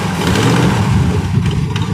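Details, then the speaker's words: Chris Craft Stinger 222 V8 boat engine idling, wireless mic on: deep rumble with faint sharp ticking from an exhaust manifold leak at the port-side front cylinder, likely leaking a couple years. "what's that knocking this is not a knock that's an exhaust leak up here on the manifold"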